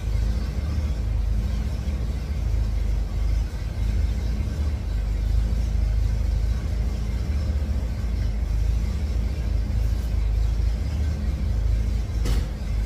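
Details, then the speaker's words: 1954 GMC COE with GM 4.3L Vortec V6, after regapping spark plugs to .035: steady, even low idle rumble with no stumbles or sputter, much better than the previous day when it needed throttle to keep running. "it's way better than it was yesterday yesterday would fight sitting there in the title and pretty good yesterday it was I had to go in there and you know do the whole butterfly feather of the gas keep it running keep it running"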